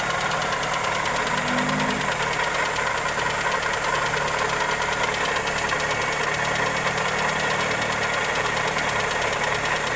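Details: Toyota Corolla EE90 with 2E engine at idle: fast, light ticking knock over the engine hum, steady throughout; valvetrain or connecting rod suspected, cause not confirmed.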